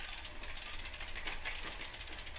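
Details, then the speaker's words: High-end road bike rear derailleur after cable tension adjustment, cross-chained to the easiest cog: quiet, even chain whir with soft ratcheting tick, no clatter or skipping; correctly adjusted despite cross-chaining. "And here, see, now you don't hear that sound so don't be sitting there going, whoa, that sounds like crap. No, it's adjusted the right way."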